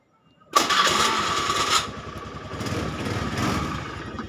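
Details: Honda Scoopy carburetted automatic scooter whose starter only clicked: starter spins the engine over cleanly and it catches straight away into a steady idle, no clicking from the starter; normal electric start.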